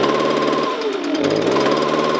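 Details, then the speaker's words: Two-stroke leaf blower at full throttle sounding strained and uneven, pitch sagging instead of rising, bogging with about 25% power; likely cause a clogged spark arrestor screen in the exhaust. "but guess what it's not running right I'm going to start up show you what it does that's full throtle she should be"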